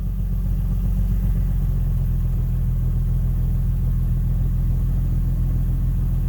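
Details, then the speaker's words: 2010 Infiniti G37 Type S coupe, 6-speed manual, just fitted with a Top Speed Pro-1 dual exhaust, idling after first start, heard from inside: smooth, low, even rumble without misses or rattles, barely audible, not too loud. Normal idle. "Alright, so my first starts are, you can barely hear it a little bit on the inside. It's not too loud."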